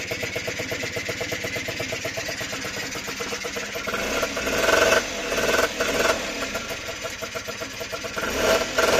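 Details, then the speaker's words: Honda NH80 Vision two-stroke scooter, first start during restoration; catches and blips up and down cleanly with a crisp, buzzy exhaust and no misfires or rattles, and the oil pump is working. Normal revving. "what a result right as you can hear she's running nicely and the best part is the oil pumps working so that's good"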